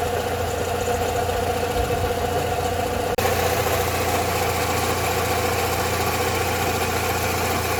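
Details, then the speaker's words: Rover 45 Impression S3 with CVT after a gearbox fluid change, checked with a stethoscope: uneven, rough mechanical chatter at idle. It is ruled not the gearbox or alternator bearing and comes from inside the engine; a bearing is possible but unconfirmed. Engine internal noise at idle. "the noise from the what we thought was the gearbox it's not the gearbox there is actually a noise coming from the engine now"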